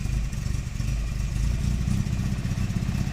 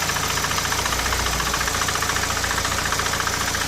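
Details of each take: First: Nissan Primera P10 1.6L after engine gasket replacement, cold start needing throttle held; lumpy, uneven low idle pulsing and sputtering near stalling, light blue smoke; damaged carburettor valve not opening when cold, too little air, rich mixture, fine warm. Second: Nissan Primera P10 1.6 carbureted four-cylinder after engine gasket restoration, warm: even, fast ticking idle at constant speed, no knock or misfire; normal idle (cold starts troubled by faulty carburettor valve).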